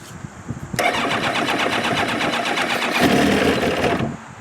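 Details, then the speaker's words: 2002 Kawasaki ZX7R, hard to start and won't idle without choke: long uneven starter cranking for about three seconds without catching, even with choke on; fuel starvation from clogged carb pilot jets, worse than before, prior to carb service. "very hard to start no fuel is get into the carbs even with the choke on in fact it looks like it's gotten worse since I last all right so as you can see it's hard to start"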